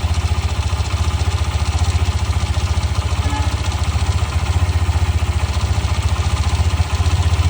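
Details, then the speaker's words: New 2026 Hero Xtreme 125R Dual ABS, 3–4 days old, idling in eco mode: steady single-cylinder idle with a light metallic "kir kir" chatter on every beat, like a loose nut rattling; owner suspects tappet or timing chain noise, not confirmed. "ऐसा कुछ आपका आवाज़ इसके अंदर सुनाई देगा, जैसे कोई नट हिला हुआ है, कोई नट ढीला हो उसका हिलने का साउंड आ रहा है, ऐसा इसके अंदर आपको साउंड सुनाई देगा।"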